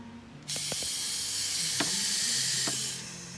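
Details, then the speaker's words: Audi RS4 intake pressurized with shop air through a smoke-test insert: a loud steady hiss of air escaping from an intake hose, showing a boost leak. The car also had a misfire, which was fixed. "look at that we have a boost leak right here in the hose see there see how simple that is"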